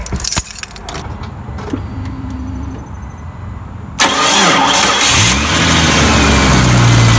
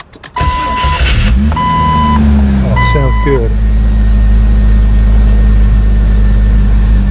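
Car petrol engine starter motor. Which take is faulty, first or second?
first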